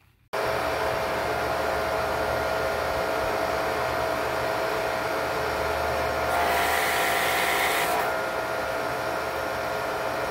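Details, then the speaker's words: Electric Kärcher pressure washer with Twinkle Star foam cannon after drilling the nozzle orifice to 1.5 mm: steady motor drone and constant spray hiss, no pulsing or surging; fixed. "thanks I would say that's working pretty well again that was a 1.5 millimeter so really generally a simple fix"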